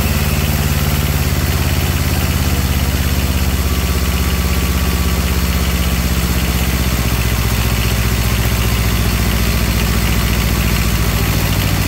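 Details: Comfort Pro truck APU small two-cylinder diesel with generator, removed from truck, glow plug start with throttle lowered: low, even chug at slow idle, steady beats, no knocks or misses; runs smoothly.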